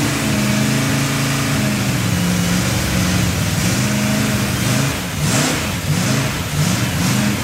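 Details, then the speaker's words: 283 engine test run with a large vacuum leak from an unplugged vacuum port; idle hunts up and down and smooths when a hand covers the carburetor while the mixture is richened. "I didn't ever plug off that vacuum that's why when you saw me putting my hand over the carburetor it sounded better it had such a big vacuum leak"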